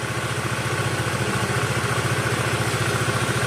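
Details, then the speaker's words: Older carbureted Honda Vario 110 after carburetor service, air screw loosened half a turn to seek highest idle RPM: even putter slowly picking up speed as screw turns; clean, steady idle. "Oke, kemudian kita coba kita putar, kendorin setengah putaran. Kalau RPM-nya naik, kita kendorkan lagi."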